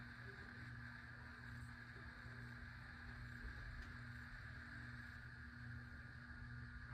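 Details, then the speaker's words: 52-inch white Hunter Pro's Best 5 Minute Fan ceiling fan on low speed; steady low electrical hum with faint buzz from a bad capacitor, which also leaves it with only two working speeds (medium and high the same); capacitor replacement planned. "Yes, this fan does make buzzy noises because it's got a bad capacitor."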